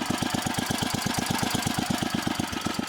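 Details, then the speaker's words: 1968 Sears Suburban 12 yard tractor fitted with a snowblower engine, at its lowest idle: slow, even thumping at roughly ten beats a second with no misses; normal low idle. "not as low as I got it set to go but that's its lowest idle it is really low I'll just let you listen to it run for a minute"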